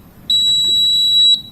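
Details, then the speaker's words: Cooper fire alarm panel showing a battery charger fault after the battery connections were redone. One steady high-pitched beep of about a second from the fault buzzer over a quiet room. "तो इस पे battery charger fault लिखा है।"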